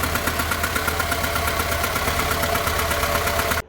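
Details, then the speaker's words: Renault Logan 1.6 L petrol engine at idle, uneven and lumpy with irregular pulses; engine misfire. "देखो एक engine में engine miss firing के तीन बड़े लक्षण होते हैं। सबसे पहला लक्षण यह कि आपके इंजन का जो साउंड है वो चेंज हो जाएगा कुछ इस तरह से।"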